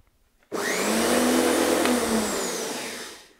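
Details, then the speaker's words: Electric lawnmower motor that had been slowing down and whining in use, run with no load and the cover off: a loud rough buzzing whine with crackling fizz as the brushes arc badly on the commutator. "it shouldn't be arcing like that when there's no load on it"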